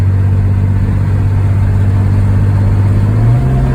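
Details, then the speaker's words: 1991 Chevy S10 with leaking automatic transmission: steady low drone in fourth on light throttle, then pitch steps up as it unwantedly downshifts to third; cause not confirmed. "oh now downshifted again in the third"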